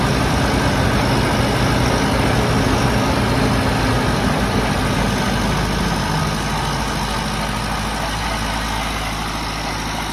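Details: Nissan Hardbody idling after injector ground wires, which met at a clamp, were cut and soldered together to fix idle issues: loud, steady, even idle with no stumble or hunting; runs smoothly.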